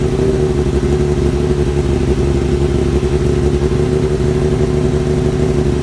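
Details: Kawasaki ZX-7R after carb cleaning for idle problem, warming up: steady even drone at high revs, no misfire or stumble; normal revving, more responsive; owner suspects old fuel/debris in idle circuit, one slightly sticky part refitted.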